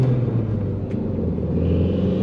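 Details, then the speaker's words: Audi TT Mk1 turbo, after replacing the N75 boost valve to cure boost loss and misfire breakup under load; pulling into second gear at about 4-5 PSI; steady even drone, no stumble; normal boost. "Around about 4 to 5 PSI. Third gear, about 5 PSI. Fourth gear, about 7 or 8 PSI. So it's behaving dramatically different."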